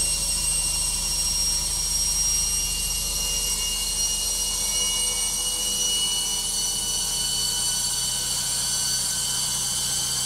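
A steady, loud roar with a high whistle on top and no knocks or thumps; the spin runs noisy, cause not evident.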